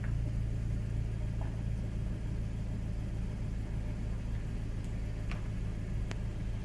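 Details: VW Mk5 GTI idling cold after new front and rear PCV valves: lumpy, uneven pulse about three beats a second in a steady low rumble; rough idle, cause not pinned down.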